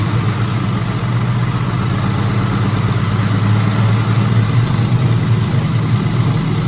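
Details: 2004 Ford Mustang GT 4.6 V8 being revived, first run with no coolant; steady, even, slightly fast idle with a low smooth rumble, no ticking or chain rattle; normal idle.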